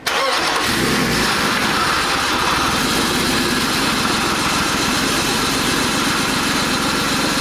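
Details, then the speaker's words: BMW E46 with swapped-in 3.0 engine idling after start with an uneven, stumbling, loping beat: misfire at idle; coil moved from cylinder 3 to cylinder 2 to chase it, and a different-sounding misfire suggests a bad coil pack (suspected, not confirmed). "It sounds like a different misfire, so I feel like it is the coil pack."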